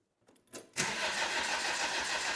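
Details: First start of the engine in Land Rover Defender rally project Trueno after reinstallation: brief crank, then the diesel catches and settles into a steady, even running note; healthy first start.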